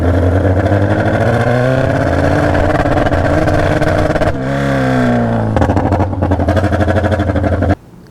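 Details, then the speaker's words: Junkyard Honda CB750F with good carbs and open straight pipes, blipped up and down: loud, rough, uneven exhaust beat that sounds flat with no mid-range pull. The open pipes are suspected of hurting mid-range exhaust velocity. "So yeah, basically has nothing on throttle, and my suspicion are these open pipes. So on both sides here, it is just spitting into the nothingness. So I think that is actually hurting your mid-range,"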